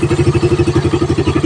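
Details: Raider 150 with stock carb, about a year old, after carb cleaning and retune for weak pull and difficulty reaching 100 kph; crisp single-cylinder beat, about ten even pulses a second, no misfire or stumble: normal engine running.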